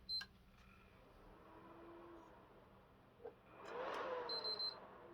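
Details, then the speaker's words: Previously opened console bought on eBay: quiet hum, then the fan ramps to a loud rush within a second, a few beeps, and the console turns off. Suspected overheating shutdown, similar to another owner's case; cause unconfirmed. "yeah as you can see fan wraps up very quickly and then just turns off so very similar to what tony had"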